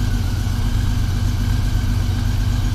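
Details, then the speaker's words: 1999 Honda Valkyrie Interstate flat-six after carburetor rebuild, previously lean and struggling; now smooth even idle holding near 1000 rpm, no popping or stumbling; normal idle. "that's a lot better she she was struggling a little bit idle's right where we want it about 1K"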